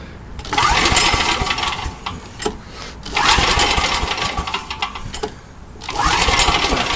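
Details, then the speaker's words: Old Coleman generator with a Vanguard engine, fuel treated with stabilizer: revs swell and sag every few seconds instead of holding steady; an apparently never-changed, half-fouled Champion RC12-type spark plug is causing the misfire. "here's part of the problem now I don't think I ever change this plug"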